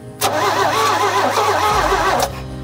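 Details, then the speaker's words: Abandoned 1975 GMC Sierra Grande with a 250 ci straight-six, after a faulty cable was fixed; the starter engages cleanly and turns the engine over for about two seconds without firing, with the carburetor still to be replaced and spark not yet sorted. Normal starter cranking. "I am going to turn this over just to see if the starter engages"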